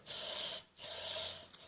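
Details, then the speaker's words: Dry rasping grind in two short strokes as the motor of an Electrolux Turbo Limpeza washing machine is rocked back and forth by hand; noise comes from the motor itself, a worn bearing under the pulley, not the mechanism. "então o pessoal este barulho não é a mecânica da máquina não é o pessoal chama de mecânica de mecanismo é esse barulho está exatamente no motor está no motor"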